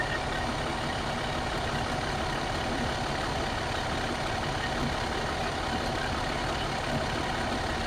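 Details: 2014 MCI J4500 coach with a fresh engine (listed as Cummins, also called Volvo) and Allison B500 transmission, started with the rear engine bay open on a hot day: even, steady diesel idle with a smooth low rumble and no knocks or misses, a healthy normal idle.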